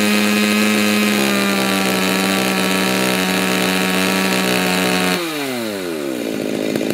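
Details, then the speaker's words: Stihl MS290 chainsaw after a muffler mod, with the high-speed carburetor screw set lean: a steady high-pitched two-stroke scream at full throttle, very smooth with no burble, then winding down off throttle. Lean high-speed mixture. "but when it's too lean it's going to start it's going to sound really really smooth"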